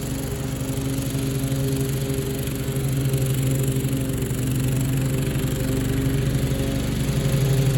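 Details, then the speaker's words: 1997 Craftsman lawn tractor with 16 hp Kohler Command engine mowing: strong steady thump holding pace under mowing load without bogging or missing; normal running under load. "oh yeah that thing is a beast and you know for 16 horsepower for 16 horsepower that that mode that like effortlessly"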